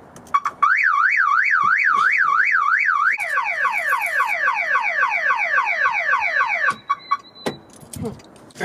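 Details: 1974 MGB sitting since 2007: loud warbling siren sweeping up and down, then fast repeated chirps; the alarm sounds again once the bad battery cable connection is fixed, ground still to be tightened.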